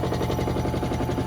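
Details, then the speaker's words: Hotpoint WMXTF942P washing machine at full-speed spin with a full load, covers off; fast heavy hammering thumps, about fourteen a second, tub vibrating a lot. Spin vibration from shock absorbers that are more than likely dry. "As you can see there, it's vibrating quite a bit at full speed with the full load."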